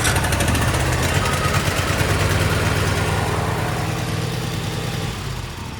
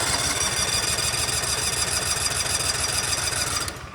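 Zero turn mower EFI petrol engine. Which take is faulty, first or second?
second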